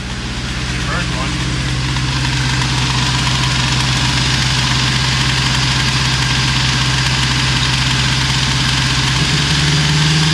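Steady, even idle with a smooth low hum and no knocks or misses; the engine is running cleanly and healthy.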